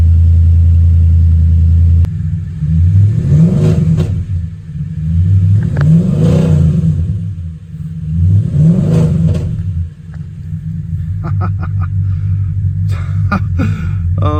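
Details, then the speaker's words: Audi S5 after replacing timing-advance part stuck in advanced position: three quick blips rising and falling, then idle with faint uneven stumble; still slightly lumpy, slight misfire remaining. "So as you can probably hear, if you can hear me above the sound of this beast, she's still a bit lumpy."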